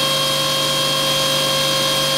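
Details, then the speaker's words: Aeromotive brushless fuel pump on a test bench at 13 to 13.5 V: a steady, even high-pitched whir that increases with voltage, with no surging or rattle. The internal controller manages pressure and volume, and it runs normally. "thirteen and a half you can hear the pump increase and again that all goes back to the internal controller that's managed the pressure and the volume"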